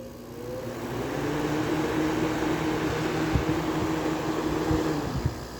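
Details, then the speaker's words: Air conditioner fan motor after being oiled: it winds up slowly into a steady hum with occasional knocks. The fan still drags on a stiff bearing, so the plan is to leave it overnight and add more oil. "but it still appears to be kind of stiff still so I'm gonna let it sit overnight"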